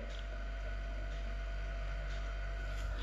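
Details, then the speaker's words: 37-year-old built-in Zanussi combination fridge, after door hinge bushing repair, compressor running with only a faint, even hum, no rattles or clicks; sounds healthy and quiet. "sente appena appena un leggero ronzio il compressore nonostante i 37 anni di vita dell'apparecchio e i miliardi di milioni di gozzi lioni di ore che ha sulle spalle ancora funziona come il primo giorno ed è anche molto silenzioso"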